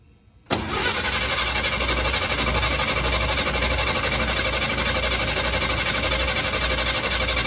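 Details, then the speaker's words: Truck, first start since mid-March, still on points ignition before Pertronix electronic conversion, carburetor bowl fuel evaporated so cranked a while: sudden catch into steady, even running, no misfire; clean start. "all right so that's not bad that's the first time the truck has been started since mid-march uh obviously cranked for a while but if you notice it wasn't a misfire or hard to start"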